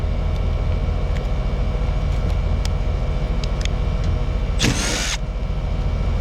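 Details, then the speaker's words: Rheem Prestige AC unit not cooling well, homeowner reports loud noise; likely ECM condenser fan motor. Steady low hum, then a sudden harsh rasp lasting about half a second; the condenser fan motor is on its way out. "Oh boy. Yeah. That fan motor's on the way out."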